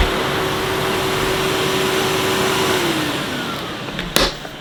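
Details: 2005 Numatic Edward Turbo vacuum, turbo electric head that previously cut out intermittently, retested after cleaning; steady, even motor hum with constant brush-head whine and no dropouts. Power head now runs continuously, normal running.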